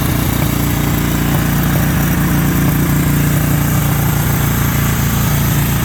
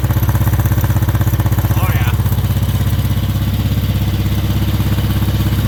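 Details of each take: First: 1963 Honda CB77 305 Super Hawk twin, started cold after reconnecting a spark plug that had left it firing on one cylinder: a steady, even idle on both cylinders with no misses or knocks, so normal idle. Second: 1963 Honda CB77 305 Super Hawk twin, cold: loud, lopsided chuffing exhaust running on one cylinder because a spark plug lead was unplugged. Something had apparently been living in the exhaust pipe.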